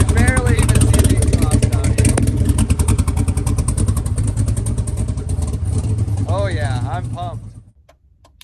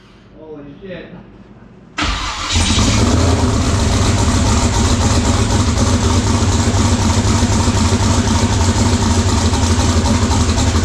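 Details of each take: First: Twin-turbo LS-swapped SN95 Mustang on Holley EFI, first start and drive. Deep, even exhaust rumble with clean revs rising and falling and no stumble; it fires right up but needs tune work. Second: LS-swapped twin-turbo SN95 Mustang on Holley EFI, first start with a leaking fuel tank: after catching, the V8 settles into an uneven, lumpy idle with a stumbling beat. Number two cylinder dead, traced to a cut part to be replaced.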